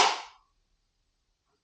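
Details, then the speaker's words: 1980 Craftsman Indy 500 tractor with new battery, brake down and choked: one sharp click (pop) on key turn, then silence, no crank; failed starter solenoid passing no power to starter, fixed by replacing it. "I get a I get a pop and then nothing so I'm assuming that's probably the Ceno so I don't have any power pass the solenoid to the actual starter and that must be the solenoid popping"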